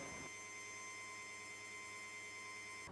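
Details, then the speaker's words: 1980-1996 Ford Bronco/F150 fuel pressure test: fuel pump jumpered to ground to run continuously, ignition on, engine off; a steady, even electric buzz at one pitch shows the pump running normally. "With everything connected, go ahead and turn on the ignition, but do not start the engine. You should hear the fuel pump buzzing."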